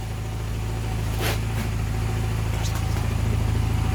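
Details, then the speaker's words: Honda Silver Wing 600 scooter, warming up so the knock is clearer; a steady idle with a regular knock about three per second, cause not confirmed. "прогреем его на прогрев чтобы было более явный звук"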